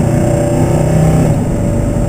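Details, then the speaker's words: Oldsmobile Vista Cruiser, mildly built 350 Olds V8 with rebuilt 200-4R overdrive, heavier 1-2 accumulator spring and billet servo, on highway on-ramp: steady V8 pull under load with one crisp, firm 1-2 shift, no flare or slip. "Let's see if we can grab a couple of basement gears over here. There we go, just grab second."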